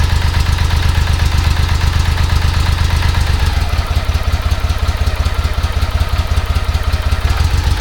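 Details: 1995 BMW K75RT that sat about 9 years, cold on choke after replacing the Z intake pipe: lumpy, uneven pulse a bit under three beats a second; still a rough idle, fan and temp sensor replacement next.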